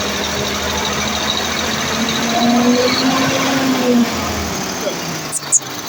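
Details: Mercedes-Benz Actros V6 diesel after replacing the faulty injector nozzles and electronic unit pump: steady, even idle with a constant low drone and no hunting or surging. The earlier RPM fluctuation and hard starting are resolved; it sounds healthy.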